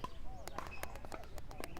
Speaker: if you hear that clicking that means there's too much wobbling and you want to tighten it a little bit